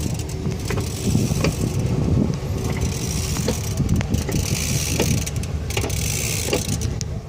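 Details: Ford 6R140 transmission, vehicle on jack stands, driveshaft turned slowly by hand: irregular clicks and light scraping over a low rumble, an unidentified noise.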